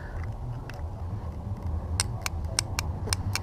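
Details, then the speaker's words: Cafe racer motorcycle with a one-way-clutch chain-drive starter, no pinion solenoid: the starter relay, an electromagnetic momentary switch fed from the battery, gives sharp, crisp clicks over a low hum each time it is powered; normal operation. "guys hear that clicking this is an electromagnetic momentary switch and basically this circuit you're gonna come you're gonna connect it when you're doing this motion"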